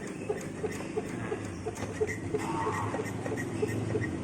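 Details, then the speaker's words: Honda Vario automatic scooter running: short regular squeak about three times a second from the lower cover area, brake cable rubbing the frame; brake cable squeak. "Nah, teman-teman kan nanti bisa dengar sendiri tuh ada suara berdecit di bagian sini nih, bagian cover bawah."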